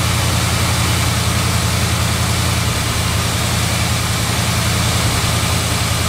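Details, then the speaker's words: 1971 Chrysler New Yorker 440 V8 after a fuel system overhaul with a new tank, pump and AVS2 carb, not yet warm, choke idle lowered. Steady low idle with faint irregular stumbles and light exhaust pops, a mild misfire; owner suspects the roughly 30-year-old spark plug wires. "i hear a little bit of popping in the exhaust though not severe but you could tell it's misfiring a little bit that's because the spark plug wires are probably 30 years old"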